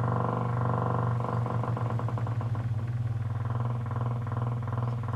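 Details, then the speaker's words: Miller & Kreisel V-2B subwoofer amplifier fed a 25 Hz test tone: very low tone comes out rough and buzzy with a wobbling pulse, plus 60 Hz hum at power-on; distortion traced to defective main filter capacitors, cured by replacement. "let's put some audio into it right now and it's definitely got some distortion in the audio so that's 25 hertz"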